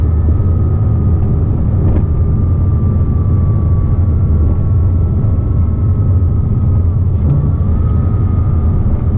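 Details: 2007 Porsche Cayman S, 45,000 miles: a steady, high whine that follows rpm, loudest around 3,000 rpm, also heard in neutral and cruising in 3rd, gone with the clutch disengaged; worn water pump bearing, cured by replacing the pump.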